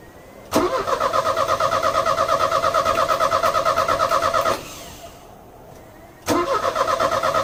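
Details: Euro-spec Mercedes 190E 2.0, 5-speed manual, fuel just added: starter churns at about three beats per second, pauses, cranks again without catching; it later ran about 30 seconds and stalled, with gunky contaminated fuel found in the lines.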